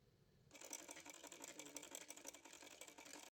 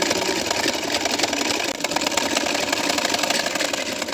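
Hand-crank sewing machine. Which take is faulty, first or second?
second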